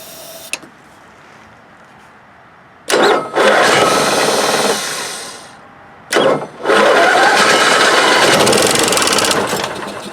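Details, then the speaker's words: Onan Marquis 5500 RV generator (1998 Bounder motorhome, 20+ years old, 60 hours), air cleaner removed, on starting fluid before carburetor clean and fuel filter change; cranks, catches with short ragged roar, dies twice; likely not getting fuel, owner suspects dirty carburetor. "Yeah, so it fires up a little bit. But may not be getting fuel. Alright, so I think it's firing on starter fluid, but I probably want to take down this carburetor, make sure it's cleaned out."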